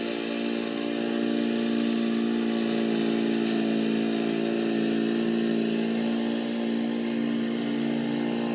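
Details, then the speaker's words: Old Murray riding mower with a 12 hp Briggs & Stratton engine, mowing in 30–33 degree heat: steady buzzing drone at constant speed while cutting, with no surging, knocking or misfire; normal healthy running under load. "yeah I'd say the the old Murray didn't do too badly other than needing just a little pressure wash I think she's ready to rock for probably a while"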